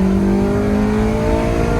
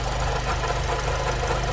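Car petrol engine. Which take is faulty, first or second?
second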